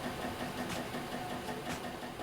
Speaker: shoot you hear a repeat knocking sound when extruding or printing it means that the filament hasn't reached the extruder correctly or a blockage may have formed